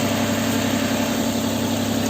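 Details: Car with a recently replaced intake, smoking: even, steady low idle hum with no misses, ticks or leak hiss; running smooth, no check engine light.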